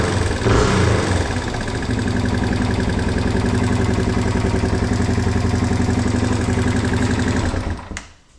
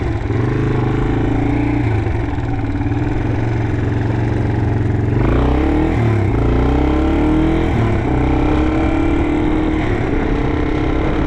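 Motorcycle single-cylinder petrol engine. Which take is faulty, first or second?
second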